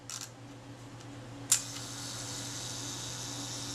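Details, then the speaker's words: Kodak Retina IIIC repaired after falling in a river, shutter reassembled with retaining ring: sharp click then soft steady high buzz as the self-timer runs down evenly; normal self-timer. "You may hear that running down. There we go. So far so good."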